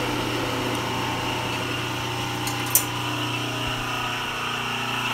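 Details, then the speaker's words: Shablin 53 two-ton milling machine powered by a DIY three-phase rotary converter; the idler motor is louder than the mill itself, giving a steady electrical hum and even drone with no knocks or rubbing; normal running. "my three-phase idler is louder than the actual milk and that's it"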